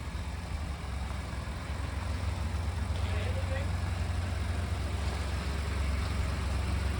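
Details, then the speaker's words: Ford Expedition EcoBoost idling just after a timing chain and cam phaser replacement: a deep, steady rumble with no knock or rattle, and oil pressure high; normal idle. "but it started right up so I'm not super worried and oil pressure has gone to high and it sounds good so I think I freaking did it"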